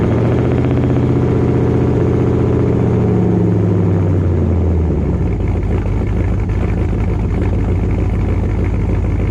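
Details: Dodge Dakota R/T V8 pickup with Hellcat/Scat Pack resonators plus added Ram 1500 resonators: deep low rumble swelling into droning hum as throttle is touched; exhaust drone remains too loud.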